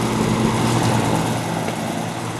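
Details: Vintage antique-store fan with a spliced, poorly done replacement cord and an off/high/medium/low switch: even, steady hum with a soft airy rush, no rubbing, ticking or wobble; the fan motor runs smoothly and sounds healthy.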